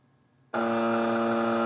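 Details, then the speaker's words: US military AN/UGC-74B terminal dot matrix printer after swapping in a microprocessor board: a steady, even buzz cuts in abruptly and holds, with no pulsing and the carriage not moving back and forth. No change from the swap; a continuous alarm. "Here we go. No, unfortunately, no change. Still making that odd sound."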